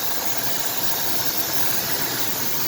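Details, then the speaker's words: 1998 Ford F150 XLT, 4.2 L V6, about 130,000 miles, likely original plugs and wires: steady, sharp hiss over a faint idle; owner suspects a vacuum leak, earlier sputtering noted. "that sounds like a vacuum leak to me you hear that hissing that's gotta be vacuum week"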